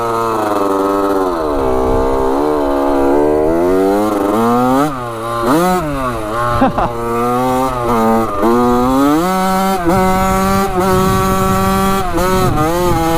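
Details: 1985 Yamaha YZ80 two-stroke dirt bike after a rebuild, warm, ridden hard: a crisp, high buzz pulls and climbs, drops on each shift, then climbs again. The silencer is not working well. Normal, strong running.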